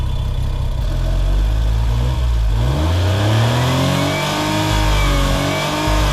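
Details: Suzuki Cara/Autozam AZ-1, DOHC F6A, free revving in a garage while wiggling connectors: revs up and falls back repeatedly, cutting out below redline; jiggling connectors made no difference; fuel system or valve float suspected, source not found.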